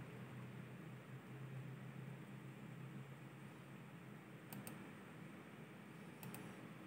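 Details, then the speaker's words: Thermalright TL-9015 92mm slim external fan replacing the fan on an ASUS RTX 3060 graphics card, on ASUS Fan Connect II: soft, steady airy whoosh with even hum, no rattle or tick; running normally. "Nah, terdetek dia suara kipasnya kencang di sini. Berputar hingga 100%."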